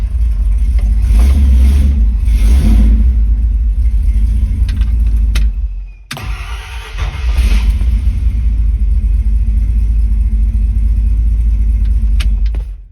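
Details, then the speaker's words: Ford Torino with headers, after fitting a new mini starter, cool engine without choke: starter spins briskly, fires straight away into a strong even idle, restarts just as easily; normal cold start. "So it's official, this thing definitely sounds like a new car. It's cool without a choke, but too nice."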